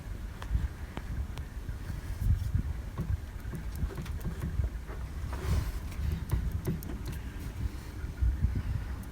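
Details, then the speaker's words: 2008 Vauxhall Vectra SRI 140 1.8 petrol, F17 gearbox removed, driveshafts worked by hand: irregular dull clunks, worst on driver's side inner CV with noticeable play; passenger side less, outer CVs solid; inner CV joint knocking. "it sounds like the knocking sound is coming from the inner cd boots"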